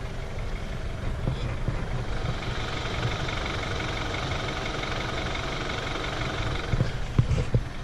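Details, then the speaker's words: 2012 BMW 328i F30 at idle, heard from the front of the car: busy, clattery diesel-like idle with fine even ticking over the engine hum; owner says many 328i's make this sound, apparently normal. "My car sounds like a fucking diesel."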